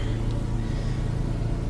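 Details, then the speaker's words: 2000 GMC Safari 4.3 Vortec V6 that stalled or wouldn't start in damp weather, after grounding the traced ignition coil wire: starts right up to a steady, even low hum with no misses. Normal idle. "here's the final check starts right up starts right up so"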